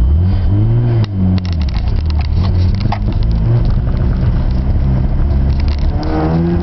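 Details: Mazda RX-7 FD3S rotary: deep exhaust note rising and falling with the throttle, with an uneven, stumbling beat and crackle; engine misfiring.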